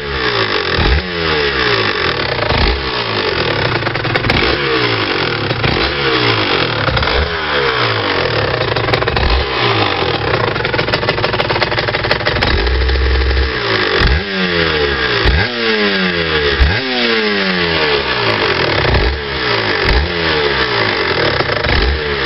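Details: Rs 125 motorcycle engine revved repeatedly with a dry metallic rattle and clinking over the exhaust; no rattle when riding at low speed around 30 km/h in 4th-5th gear.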